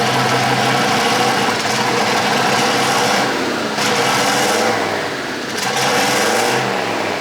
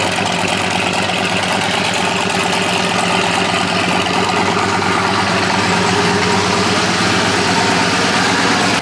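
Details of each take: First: Polaris RZR with a swapped-in Yamaha Nytro snowmobile triple-cylinder engine, running after its fuel issue was sorted; more sensors still to be added. Steady idle that picks up cleanly on a couple of revs, no stumbling or misfire; normal running. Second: Old Chevy/GMC Sierra truck fitted with a Hellcat fuel pump, heard under the hood: loud steady running with busy diesel-like clattery ticking; suspected injector knock from too high fuel pressure, stock pump to be refitted.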